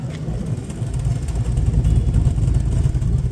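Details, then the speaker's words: 2007 Chevrolet Vortec Max truck with cam swap and oil pump girdle, first test drive after sitting for years; deep steady V8 rumble under way with a faint lope, no knocks or ticks over road noise, cam barely audible. "Test drive. We gotta put the test drive on it. See how it do. Gotta see how it do. Oh, you can barely hear the cam too."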